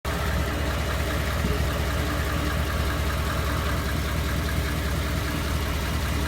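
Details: 2014 Ford F-150 5.0 V8 with 54,000 miles: a shaky, unsteady idle with a faint irregular tick; the tick began around 52,000 miles and got worse, and rough idle appeared after a dealer visit; cause unknown.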